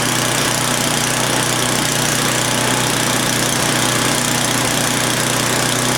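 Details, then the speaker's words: Old Craftsman snowblower bought as non-runner, first start after repairs, primed with fresh fuel and oil filled: small single-cylinder engine catches and runs smoothly with a steady low hum, no misses or knocks; normal running. "now we're going to try starting for the first time so we're going to prime it i've already turned the fuel on put fresh gas in there oh it's sounding good"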